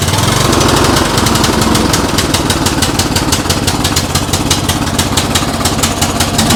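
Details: MTD White yard tractor, 13.5 hp Briggs & Stratton industrial engine, first start in years with starting fluid: single cylinder thumps loud and choppy with uneven beat, burning off crud, later cuts out; rough running after long storage.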